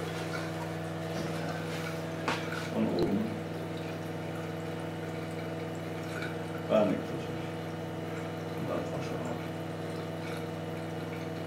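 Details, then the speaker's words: Osminion Slim Mix reverse-osmosis filter, about 4 bar line pressure, in a rinse (self-cleaning) cycle, Rinse symbol lit: steady pump hum, gently running water, a few soft clicks; normal. "Dans les deux cas, l'appareil m'indique, le nettoyage par l'allumage du symbole "Rinse" sur le panneau avant."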